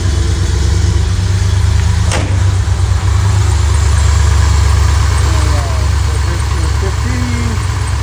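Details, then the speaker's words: Chevrolet C10 V8 with Holley Sniper EFI, previously misfiring and backfiring, idling after ignition timing set (static, then 15° with timing gun) and EFI cleared; low steady burble, even beat, no stumble, normal idle. "And if I'm correct, shouldn't see any more stumble. Nailed it."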